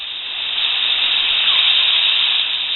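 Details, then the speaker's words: Cummins 12-valve overflow valve being adjusted with a stiff spring: steady high hiss builds gently over a few seconds and holds as the valve eases open slowly, around 15 psi. "takes a lot it's a much slower opening curve so there you go"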